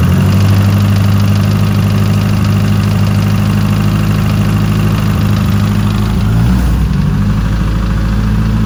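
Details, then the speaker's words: Ford 2.3 turbo four-cylinder in a sandrail at idle with a light, fairly quick tick; owner suspects and hopes it is lifter tick and is replacing the lifters with new Melling units. "okay quick update working on the sand rail it had a well i'm hoping it had a lifter tick"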